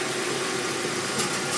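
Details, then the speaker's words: Hyundai Tucson idling at full steering lock after the power steering pump belt squeal was fixed. Steady, even idle with no squeal or chirp; the belt runs quiet. "Vai est esterçando agora para poder ver para vocês que o problema foi solucionado beleza ó solucionou estou tudinho para um lado"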